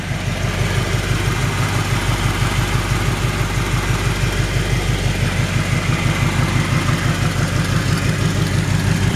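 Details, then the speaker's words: 1963½ Ford Galaxie 500 XL, rebuilt 289 V8 with headers and cherry bomb mufflers, at idle: even idle with a sharp puffing tick, about three per second, from an exhaust leak at the header donut gasket. "you can hear that exhaust leaks coming from that donut down there that donut gasket"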